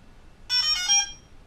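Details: DJI Phantom 3 Professional drone powered on (press, then hold two seconds) before a firmware update; one short bright chime of rising notes, about half a second, in a quiet room; normal power-up tones.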